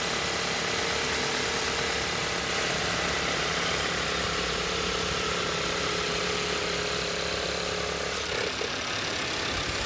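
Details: 2018 VW Tiguan Allspace at idle: a light, fast, uneven metallic rattle, about four a second, over the engine. Owner attributes it to the fuel rail; source unconfirmed.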